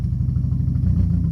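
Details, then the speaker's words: 2003 Dodge Neon 2.0 with an SRT exhaust, new timing belt and rebuilt head; 190 psi on all cylinders, new plugs, no vacuum leak. A lumpy, uneven idle with stumbling pulses that smooths somewhat with gas but still runs rough. Misfire traced to a failed ignition coil. "Seems to smoothen out when you give it some gas, but it's still running rough."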